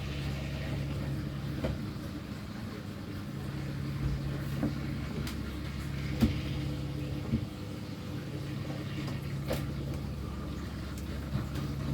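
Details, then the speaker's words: Pump for a snapping turtle tank, tested at normal level after the tank was drained: steady low motor hum with light clicks, no tone change; runs but fails to suck water, possibly air or something stuck. "Sounds like it's doing something. Definitely doing something, it's trying to. Trying to suck."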